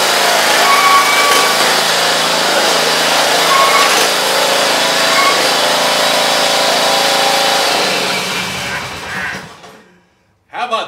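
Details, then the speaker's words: Briggs & Stratton engine on John Deere zero-turn mower, refitted after coil cleaning fixed the weak spark that caused smoking: steady, even drone with no misses or surging for several seconds, then winding down; healthy running. "i got this sucker purring like a kitten those hydros are spinning and she is just running like a top runs absolutely beautiful"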